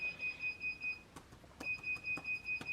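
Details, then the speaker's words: Sur Ron Light Bee MX with KO factory-spec controller after firmware update, before throttle calibration: steady high beeps about five a second, a pause, then resuming; controller shows "2 acceleration pedal alarm" and the bike won't move. "And my bike is like beeping and making all this annoying sounds. It's very annoying, man. But it says 2 acceleration pedal alarm."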